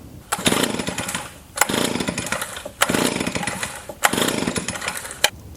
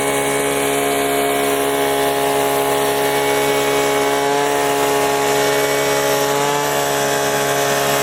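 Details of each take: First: Gasoline leaf blower, five sharp recoil pulls about a second apart; the engine turns over but never catches. It won't start because the fuel tank is empty. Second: Gasoline leaf blower that wouldn't start, now refilled with gas: continuous two-stroke buzz holding steady revs with small pitch swings, no misses or sputter; running normally.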